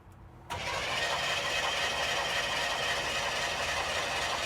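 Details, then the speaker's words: Chevrolet Chevelle barn find abandoned 24 years, oil squirted in cylinders: steady rapid cranking just under four turns a second, never fires; spark test shows no spark, distributor points to be checked. "all right do we have spark no spark what does that mean that means we have to look into the distributor"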